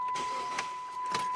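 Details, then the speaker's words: Chrysler 300 (year unknown) no-crank, no-start: steady warning chime with sharp single clicks about every half second and no cranking, usually a sign of the starter solenoid coming apart or not plunging internally. "that is usually do that that is usually indicator of your starter solenoid coming apart okay or internally not plunging"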